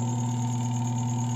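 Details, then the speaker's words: Spin dryer after repairing the broken part of the cover that operates the lid switch: a constant, steady hum with a clean low tone and no rubbing, rattling or surging. The spinner runs normally again. "Paandarin natin. Ayan. Yan naman po ay gumagana kung maririnig ninyo."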